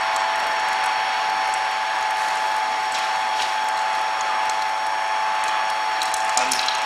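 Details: Hobart A200 mixer being greased while running: the gearbox whirs smoothly at an even pitch with no grinding or clunks; the drive is working.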